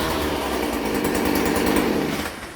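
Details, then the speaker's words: Stihl FS 56 RC trimmer after cleaning muffler screen and spark plug fouled by 20:1 fuel mix, now correct mix: high, buzzy two-stroke note runs steady and smooth, eases off cleanly; normal running. "See, now you can start it up, man. Let me show you again. I'm going to start this up easy now that I got it done the right way."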